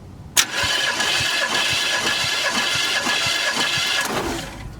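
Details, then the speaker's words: 1979 Chevy G20 van, sat about 30 years, first start attempt: starter churns at roughly four beats a second with a few uneven puffs, then drops away; trying to fire but never runs. "It sounded like it was doing something. What y'all see, I couldn't see. Nothing?"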